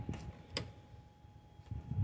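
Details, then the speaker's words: 2011 Mercedes no-crank no-start, ignition on, starter relay grounded via adapter: one sharp relay click, no cranking; power reaches starter but starter motor fails. "every time I ground the relay the circuit to close and the power going to the starter so the starter is not turning on"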